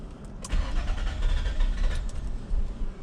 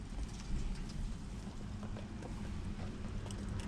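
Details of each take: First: 2001 Nissan Maxima 20th anniversary 3.0L V6 (VQ30DE) after sitting a few minutes: long slow cranking around 425 rpm, uneven puffs barely catching despite good fuel pressure; hard start with extended crank. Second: Nissan Maxima 3.0L V6 (VQ30DE) restarted right after shutdown without sitting: barely a second of cranking, catches at once and settles to steady idle; normal quick start, contrasting the extended crank after sitting.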